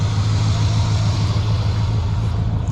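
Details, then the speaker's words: Chevy C20 Squarebody V8 run after sitting for years, fresh oil, warming up (about 140°); deep steady idle with all eight firing, no misses or ticks, much quieter than with old oil though still smoking. "still smoking a good bit but it is running and i believe it's all eight sounds nice and smooth way quieter than it was with the old oil"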